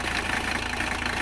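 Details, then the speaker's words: 1985 Mercedes 300CD diesel idling after a cold start at about 40°F, following a fuel tank cleaning. Even, fast clatter at a steady idle with no misses or uneven beats; normal diesel idle. "she's a beaut isn't she cleaning the fuel tank really seems to have helped like tremendously well"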